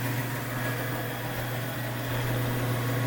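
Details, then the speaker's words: Biro 3334 commercial meat and bone band saw running unloaded on a three-phase converter: smooth, constant low hum with no knocks, rattles or speed changes; normal running. "we have it plugged into our three phase converter you're going to hear that humming in a minute and then we're going to turn it on show you how smoothly it runs"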